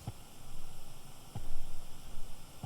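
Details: Alto Trouper PA speaker, microphone on the grille, nothing playing and Bluetooth not yet connected: steady faint hiss and low hum with a soft thump every second or so; constant background static noise, cause unconfirmed.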